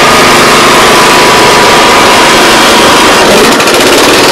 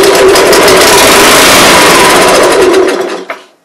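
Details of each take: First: Honda Harmony 215 SX mower that sat outside for years, after a carburetor cleaning, cutting grass: steady, even single-cylinder buzz holding speed under load; normal running under load. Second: Honda Harmony 215 SX mower that sat outside for years and won't start, starting fluid sprayed into the carburetor throat at full throttle: loud, buzzy run for about three seconds, then dies; engine fires briefly, motor good, carb needs cleaning.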